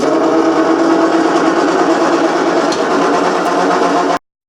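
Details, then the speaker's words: 1986 Grizzly G1550 8x18 metal lathe running: steady whirring drone with faint ringing from a dry idler pulley by the belts; a couple drops of oil calmed the noise a lot. "that sounds a little better with us cover or the belts are this idler maid is a couple drops of oil dry but calm that noise down a lot"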